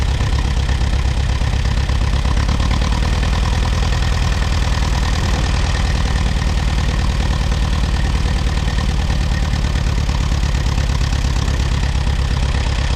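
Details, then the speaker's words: Allis-Chalmers WD tractor started on a battery and jumper pack after sitting about a year: steady, fast low thumping at idle with a slightly uneven beat, as if missing on one cylinder. Moisture was seen coming from the exhaust; the miss cleared once it moved. "it sounds like it might be missing on one cylinder oh we get to move it ahead anyway that seem to clear up there when I when I moved it a little bit there it must have been just followed on one plug"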